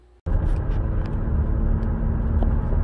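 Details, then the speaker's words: 2016 Buick Enclave, 58,000 km, test drive after replacing a corroded front hub bearing: only even road rumble, with no hum or pitch change with speed. The earlier wheel bearing noise is gone. "the noise appears to be gone doesn't make any change in pitch there's no noise now so that's good"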